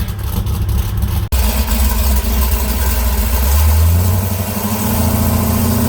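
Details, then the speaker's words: Drag car at Darlington Dragway, 1.35 sixty-foot time: hard revving with a brief cut-out, then a rough uneven climb with popping and banging; the owner suspects the rev limiter or a very lean mixture. "well that sounded terrible popping banging I think she might have hit a limiter it that was just awful"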